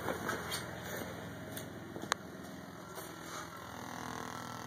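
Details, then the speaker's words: Car audio with a newly installed mids/highs amplifier: steady high engine whine with buzzing and scattered crackles through the speakers, a ground-loop noise in the RCA line, quieted by adding speaker wire at the RCA. "Uh, if your amplifier is making your speakers have a crackling, horrible, shitty sound. Watch"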